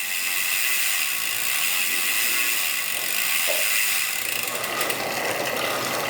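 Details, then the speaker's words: Custom-built Rourke bicycle on stand during service: freehub ticking, chain clatter and rattle through gears, hesitant upshifts; indexing needs adjusting. "Right, gears need adjusting. They're not working brilliantly."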